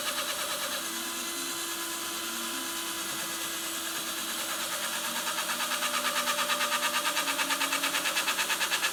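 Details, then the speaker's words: Cue tip install without a lathe, trimmed with a blade. Fast whirring spin with a steady pulsing about three beats a second because the tip is off-center on the shaft and one side hits harder. Careful trimming removes the high spot. "noise you're hearing, the wobble, is because it wasn't seated totally flat. Or sorry, centered on the shaft. So one side's hitting a little harder than as it spins around."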